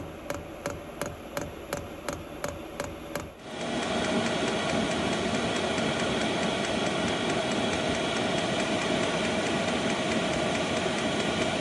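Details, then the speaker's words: Vevor 8 kW diesel heater in a camper van, restarted after replumbing, lit on a cold day: brief ticking, then a steady even roar of blower and burner; running normally, somewhat noisy, blower and combustion heard more than the fuel pump. "In the short term, it is working. It's a little bit noisier than I would like. I don't hear the fuel pump quite as much. I more hear the blower and the combustion occurring."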